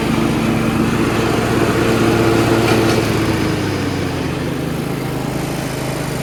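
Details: Yard Machines (MTD) 38" riding mower, 13.5 HP Tecumseh engine, running: steady single-cylinder putter easing slightly in pitch, sounds healthy; normal running. Owner suspects possible carb issue after an earlier stall.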